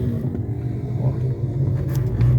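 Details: 2018 Fiat Argo 1.8 HGT that knocked at the right front over bumps, driven a bit faster over a speed bump: only a low, smooth thud, no knock or clunk; suspension now sounds sound.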